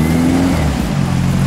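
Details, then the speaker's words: A VW Super Beetle air-cooled flat-four with a newly fitted Solex carb and double 009 distributor, now warmed up, revs with a strong, clean rise and fall and no misses or pops. It sounds much better and healthy. "boy that sounds good oh much better now that it's warmed up much better"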